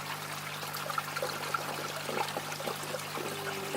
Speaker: the siphon breaks, as you can hear. That's it.